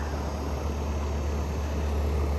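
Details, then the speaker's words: Frigidaire Gallery GHWQ103WC1 10,000 BTU inverter air conditioner, compressor believed GMCC single-chamber (not twin) rotary: soft steady low hum and faint airy hiss, no knocks or rattles, head pressure building; compressor very quiet, normal running. "this is I believe it's a gmcc rotary not 100% sure what this one is but it's a gmcc rotary unfortunately it's not a twin it's not a twin chamber it's a single chamber"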